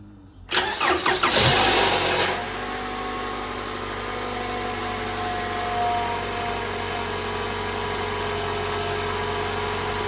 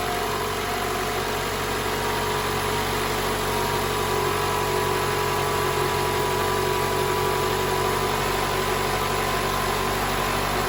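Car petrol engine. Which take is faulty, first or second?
first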